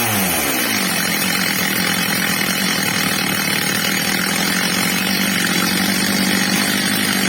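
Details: Old, well-worn Stihl MS230 chainsaw after fitting a new replacement carburettor, during its adjustment: fast sweep up to a steady, clean high scream with no bogging, surging or misfire, normal high-speed run.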